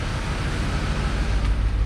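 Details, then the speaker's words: 2003 2500 HD 6.0 engine bought for its short block, test run: deep, steady rumble with good oil pressure and no knocking or clanging from the bottom end; fuel leak noted, may be missing from inadequate fuel pressure. "we've got good oil pressure and we're not clanging and banging so woohoo"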